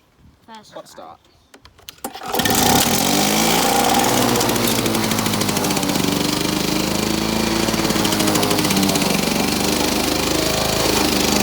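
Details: Victa lawn mower rebuilt from two parts mowers, test run after rebuild; fires on first pull and settles into steady, even high-revving buzz with no misses or hunting; runs healthy.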